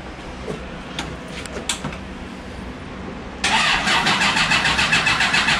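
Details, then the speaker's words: 1982 Honda CB750 engine in a cross kart after adding a coil: lumpy, uneven beat at three or four pulses a second; outer exhaust pipes hot, inner ones cool, cylinders dead, ignition suspected. "all right let's check all right that outer one's hot the inner one is i can touch it that enter when i can touch it still a little hot"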